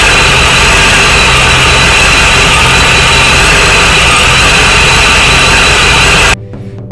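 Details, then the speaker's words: Supercharged Corvette at first start after IAC fix, idling on its own only with external fuel pump fuse pulled (owner suspects grounding or too much fuel): loud steady idle with strong high whine, then cuts off; rough idle, likely rich. "damn it Jim damn finally finally finally she's running on her own Idol this is a a huge accomplishment"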